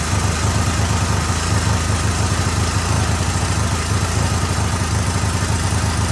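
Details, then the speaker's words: 1999 Yamaha Warrior 350 ATV, after head gasket and one-way starter gear work, jump-started at solenoid: loud low idle with metallic clatter on each firing beat; top-end clanking, owner suspects valves not checked. "fired up pretty quick, but something's clanking around pretty good in there."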